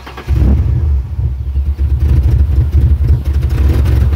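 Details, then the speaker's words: 1997 Ford Explorer 4.0L with MAF sensor fault, codes P0172/P0175, black smoke at start: running rich, a deep uneven rumble that sags and surges, barely revving or staying running; wide-open throttle gives clouds of black smoke. "I know it's running rich it hardly revs at all here I'll let you listen to it now listen to this [Music] engine so it really won't even stay"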